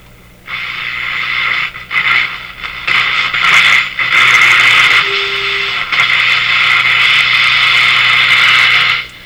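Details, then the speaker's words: Bradna (Breadner) JBL 37 tube radio, tuning capacitor bearings sprayed with WD-40: hiss and station noise swell and fade evenly as dial turns, no crackle or scratching; tuning now clean. "i should put a little oil in there for sure i don't hear the scratchiness"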